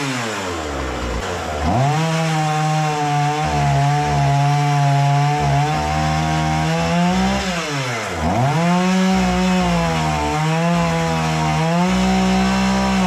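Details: Husqvarna 236 chainsaw after carburetor removal, service and adjustment for stalling at idle, test cutting wood: strong steady two-stroke buzz that sags under load and recovers cleanly each time; normal cutting under load.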